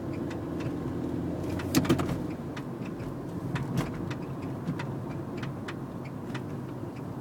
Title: Nissan note clunk noise suspension